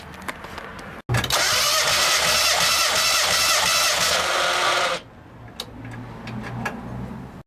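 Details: Engine cranking on the starter during a compression test, about four seconds of even churn with no firing; normal cranking.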